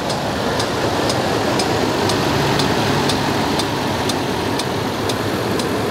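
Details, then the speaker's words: Land Rover LR3 idling well, then starting to misfire, with light, sharp ticks about twice a second over the idle rumble; top-end tick of unconfirmed cause, owner has ordered an injector. "see this is the thing it idle is good and then it starts misfiring what is that noise tick tick tick tick"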